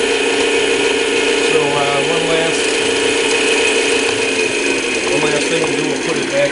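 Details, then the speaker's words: Old-style Clausing 5900 series lathe: speed-change and back-gear systems running with a steady even whir and light gear chatter at constant pitch, no knocks or grinding; healthy gear train. "the speed changing systems work in the back gear systems work and we'll just show all that functioning there we go all that's working"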